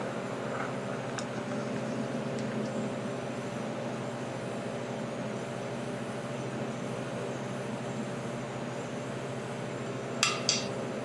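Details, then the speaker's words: Cast iron torch-heated to blue (about 450 degrees) before bronze brazing: a steady torch roar, then two sharp snaps near the end as the original crack gives way from heat expansion. "Did you hear that? That was a crack. So that's the original crack giving away because of the expansion from the heat."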